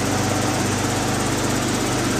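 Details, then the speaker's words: 1987 BMW E24 M6 with Dinan turbo, at idle in storage: light, quick ticking that follows engine speed over a steady idle, lifters clicking; owner thinks adjusting valve lash may cure it, cause unconfirmed. "Do hear the lifters clicking a little bit. It is common on these engines."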